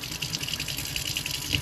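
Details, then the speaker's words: RV fresh-water pump running off tank before installing a smart pump controller with pressure sensor: faucet stream hisses and splashes in uneven surges several times a second as the pump cycles. Pulsating water flow. "So, show you guys this water pump before. See how it kind of pulsates there?"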